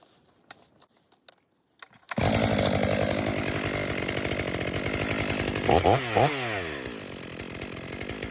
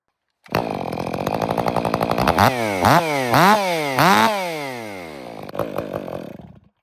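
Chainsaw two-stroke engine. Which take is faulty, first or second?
second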